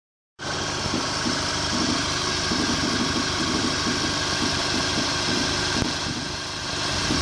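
Idling engine with a light, fairly irregular tapping riding over a steady hiss, near four a second; a knock, cause not yet known.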